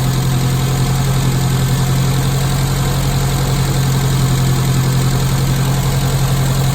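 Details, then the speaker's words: Classic Mini carburettor four-cylinder after Gunson Colourtune mixture and idle adjustment: smooth, even idle around 900 rpm, steady low hum, no misses; sounding nice. "Sounding nice."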